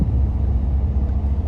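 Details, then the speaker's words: 1985 Chevrolet Caprice Classic 5.0L 305 V8, ~152,730 miles, cold start after EGR valve replacement: deep, steady, even idle rumble with no knocks or misses; normal cold idle after repair. "let it idle for a little bit warm up and see how it performs"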